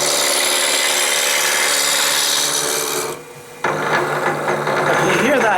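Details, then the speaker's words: Wood lathe turning a honey dipper blank: rough, rasping cut with an uneven knock as the tool catches high spots, blank not yet round. "that means that this here isn't quite round yet you can still hear it"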